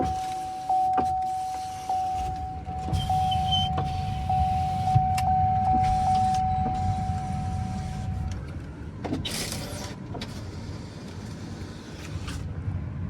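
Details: Used 6.0 vehicle with engine off during a test: a steady, even power window motor whine for several seconds with a soft thunk at each stop, no binding or grinding; windows working fine.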